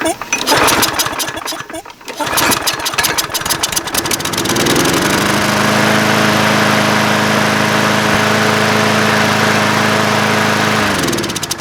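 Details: Craftsman 22" mower with 190cc Briggs & Stratton Platinum engine, after cleaning the carb bowl: after a few seconds of rattling and pulling the engine catches and holds a steady, even speed. Previously it surged from running lean.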